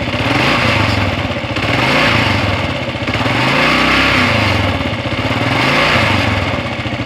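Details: 2016 Kawasaki KLR650, about 5,000 miles: single-cylinder engine revved in gentle swells with a buzzy rattling vibration over the exhaust note; owner unsure of cause.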